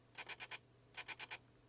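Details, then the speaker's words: Canon EF 24-105mm f/4L IS USM lens with Err 01, mounted on the camera: quick high-pitched chirps in groups while zooming, mostly past about 50mm and gone around 35/24mm; suspected aperture assembly fault. "it has this uh annoying uh well let's say the the squirly sound when you put it on on the camera and you turn it on and you set it to something you probably can hear"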